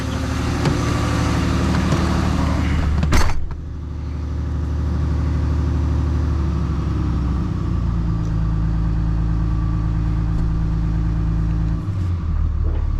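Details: Freshly rebuilt 6.7 Cummins diesel pulled into the shop after warm-up, before the hot-retorque teardown; check engine light on, which the owner believes is turbo-related: a deep, steady, even idle with no knocks, "purring"; a normal idle.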